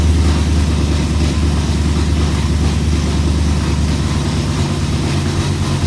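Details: BMW E92 M3 V8, throws multiple-misfire codes and pops badly during cold start; deep idle with uneven, stumbling rumble and missed beats, rough idle from misfires.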